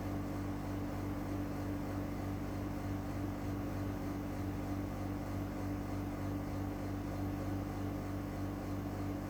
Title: NEW EUROPACE CASEMENT AIRCON EAC701W WITH LOUD NOISE (Recored from 4 m away)